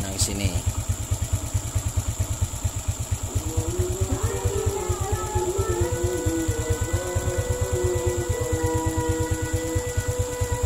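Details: Suzuki Smash/Shogun SP 125 that had lost ignition, now running without a battery after jumping the yellow-white-striped wire to the red wire: steady, even single-cylinder thump that picks up smoothly on throttle. Ignition fires consistently; it runs normally.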